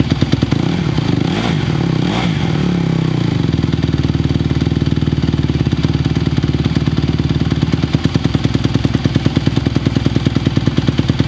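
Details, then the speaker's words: 2020 Honda CRF150R big-wheel single-cylinder four-stroke dirt bike, bought after sitting unused, started from completely cold on choke; blips briefly then settles into quick even thump with no misses; still a little cold, throttle response better choke off; normal cold running. "It's still a little cold. I think these guys are a little cold-blooded, but throttle response with the choke off did feel better."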